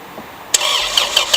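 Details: 1999 Honda Accord's first start after 3 months, subframe just reinstalled, on the old uncharged Walmart battery. A short crank, then it catches cleanly and settles into an even, steady idle with soft regular pulses; sounds healthy.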